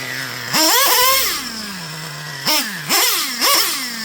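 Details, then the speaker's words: Traxxas Revo 3.3 nitro engine after leaning the high-speed needle one full turn: screaming revs climb almost instantly, shift barely audible; running pretty lean. "Like it's real snappy. So that's an example of, you can run it like that. I personally wouldn't. To me, that's just running pretty lean."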